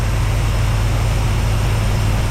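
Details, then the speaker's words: 1973 Dodge W200 with a reportedly new carbureted engine, running after a fuel tank and battery were fitted; deep, steady, even idle with no stumbles or knocks, idling well. "she's running real good man that idle is good"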